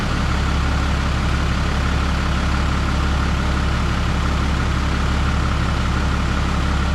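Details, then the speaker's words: 2012 Ram 3500 6.7 Cummins after cylinder head replacement for a head gasket leak or possible cracked head, coolant refilled: deep, even diesel idle, steady low rumble, no knocks or misses, all cylinders firing evenly. Normal idle. "Not hearing any funny sounds. Sounds like it's hitting even on all cylinders. It's noisy in the way that a Cummins should be noisy."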